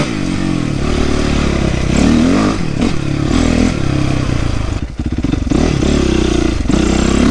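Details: 2008 Yamaha YZ450F after oil change, chain adjustment, coolant flush, exhaust clamp, carburetor clean, accelerator pump rebuild and valve clearance fix: strong, crisp four-stroke bark picking up cleanly with throttle, no popping or misses; normal running.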